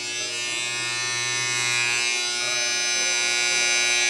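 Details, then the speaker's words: Wahl 5 Star vibrating clipper after oiling and tension adjustment; the blade can't be stopped. Strong, steady high buzz with no faltering or rattle. Normal, healthy running. "see that's nice and strong cut my hair right off"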